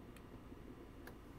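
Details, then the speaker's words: PR-7820 DiscoVision laser videodisc player: two sharp dry clicks about a second apart over a low hum as the focus hunts and slams against its end stop without locking; laser, speed and alignment seem good, capacitors suggested but cause unconfirmed. "so you hear that clicking that clicking is indicating that it's like it's slamming itself against the end stop trying to focus but it can't focus"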